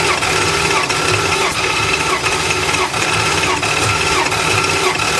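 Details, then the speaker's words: 1975 Plymouth Roadrunner, abandoned about 20 years, during a compression test: uneven starter cranking at roughly 87 beats per minute, gauge reaching about 115 psi. Sealing issues are suspected and one valve had a bad lifter, so the reading is only indicative. "Okay. All right, so 115. it got close. Well, it had spiked up there. I still think we have some sealing issues, so I'm only using it as an indicator, but that's a positive indicator, I think."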